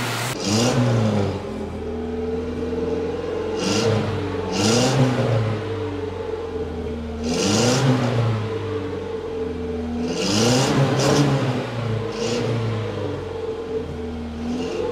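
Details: Datsun 120Y after carburetor cleaning, clean fuel tank and cleaned points; picks up cleanly on each throttle blip and settles to a steady idle. Normal revving, previously only idled; it is still hard to start because of ignition issues.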